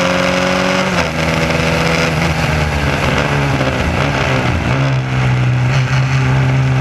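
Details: SCCA Formula Continental race car at high revs while racing: a loud, uneven, stumbling note from a misfire. A distributor wire was picking up pulse signals from the electric fuel pump.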